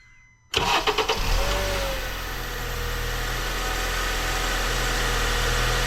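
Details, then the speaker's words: 2008 Honda Accord in cold weather, after replacing a split dry-rotted intake duct that caused long crank, rough start and high idle; quick crank, clean catch, smooth steady normal idle with AC on. "Alright, seems to be idling just fine now with that duct replaced. Let's see, we turn the AC off, it'll come down a little more maybe. Seems to be running great though. It's not idling high."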